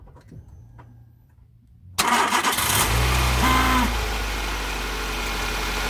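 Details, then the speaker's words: Nissan Micra with only water pump belt and tensioner fitted: cranks, catches, settles into steady even idle with no squeal; squeal source not yet found, owner wonders about clay in the A/C bearing. "So I've left the water pump and the water pump tensioner belt on, no squealing."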